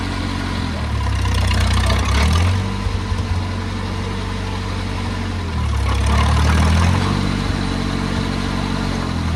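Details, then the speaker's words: Oliver Cletrac OC3 crawler warming up at idle after a manifold gasket change and carburetor adjustment: a steady low chug with two slow revs that return cleanly to an even beat, barely any smoke. Normal warm-up idle. "But man, that has sounded good. Barely any smoke coming out of it now. That is beautiful."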